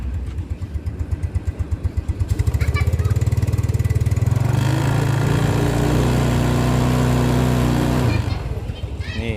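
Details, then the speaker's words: 2010 Yamaha Mio Sporty scooter, long unused with a likely dead battery, kickstarted: a few kick strokes, then the small single catches and settles into an even, steady putter with no knocking or misfire; normal idle. "Baiklah, mesinnya sudah berjalan seperti ini. Suaranya masih terdengar merdu, kan?"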